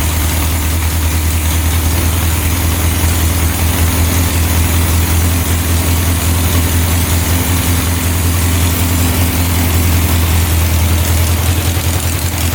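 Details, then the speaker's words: 1967 Volkswagen dune buggy, non-runner revived: deep, steady idle with slightly uneven lumpy beat, smoking; automatic choke stuck closed, running rich; owner expects it to open once the engine warms up. "Smoking right now. Let me open up that valve. The choke was not turning off, so that must turn off once you get this engine warmed up, because it looks like it's attached to here, which I'm guessing is what opens and closes the choke butterfly, and then that's connected to here."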